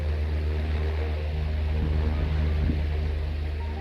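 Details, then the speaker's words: Electric fan after repairing motor sparking and greasing: steady low hum with an even pulse, no crackle or scraping; the repaired fan motor runs smoothly. "Kung naririnig nyo, mugong na siya, no? Kasi may LC na."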